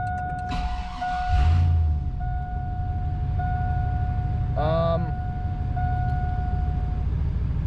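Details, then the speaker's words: 1999 GMC Sierra pickup after O-ring fix for low oil pressure, first startup: clean cold start settling into steady even low idle with chime, oil pressure right up to 40 psi cold; healthy. "Right up to 40 pounds on a cold start."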